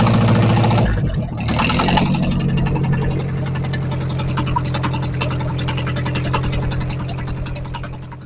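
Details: 1944 Ford 2N tractor four-cylinder after reassembly, run and driven in reverse: fires up, runs at a steady, even beat, eases down without misses or knocks; oil pressure 45–50, no smoke, transmission works in reverse.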